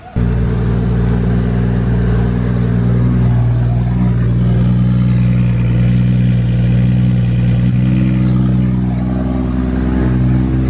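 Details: 1.5JZ engine, first start after priming, ECU master displacement changed: strong steady note held high and even with a slight swell midway, no knocking or clatter; smooth, healthy run.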